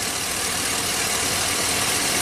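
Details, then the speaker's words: 2005 Chevy Silverado 2500HD V8 with replacement reman engine, about 20,000 miles, idling with bright hiss and quick snapping as cylinder 2 plug wire arcs instead of firing; spark plug wire arcing, misfire without check engine light. "it back in snap snap snap snap snap snap okay that's definitely a problem so let's go let's start with that the spark is not getting into the cylinder on number two"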